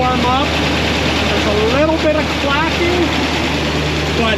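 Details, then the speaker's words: 1976 Corvette V8 right after the binding roller rocker trunnions were cleaned and lubricated, cold and still warming up: a steady, even idle with only a faint light tick. Much less valvetrain noise than before; normal cold idle. "it's still warming up but I could already tell by the sound of the exhaust that those rocker arms were the problem"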